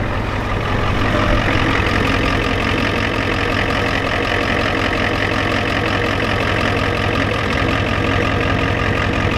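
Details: Ford F-250 7.3 IDI diesel idling, has a fuel leak and may smoke: loud clatter about four beats a second, slightly uneven; possible stumble, cause unconfirmed.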